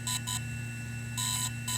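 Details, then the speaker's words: DJI Inspire 1 or Phantom 3 drone firmware update from microSD card: clear high-pitched beeps in repeating pairs and longer groups over a low hum, the changed pattern signalling update finished. "once the update is finished the series of Beats will change"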